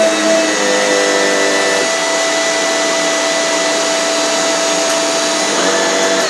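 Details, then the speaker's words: Shark Powered Lift Away vacuum fitted with a newer floor head, compatibility test: steady high-pitched motor whine with even airflow rush, no surging or rattles; works normally, brush slows on hard floor. "The answer, yes, it does, and when you put it on hard floor it goes slower. So yeah, it seems to be fully compatible"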